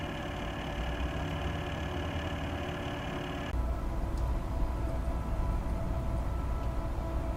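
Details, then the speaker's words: Replacement Corsair H100 water-cooling pump, microphone right next to pump, after the original loud pump was RMA'd: only soft steady whir and fan hum, no rattle or buzz; normal quiet pump operation. "the new pump installed works wonderfully it's completely quiet and any sound you hear now is just fans"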